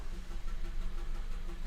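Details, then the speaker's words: 2016 Honda Civic petrol engine (stated as 1.5; title says 1.8 VTEC), idling with a flashing engine light and stored code P0303, cylinder 3. The exhaust beat is uneven with dropped pulses, a clear misfire that persists after codes are cleared. "No fault codes, right Roddy, let's go for it. So the car is still clearly misfiring."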